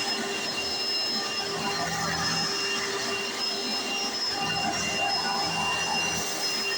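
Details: 1995 Hoover Encore Supreme U4261-930 upright vacuum, barely used, bought used in great condition, running: steady even roar, constant high motor whine, loud brush roll rush, no surging or grinding; owner says it sounds perfect, brush roll like a Singer vacuum; normal running.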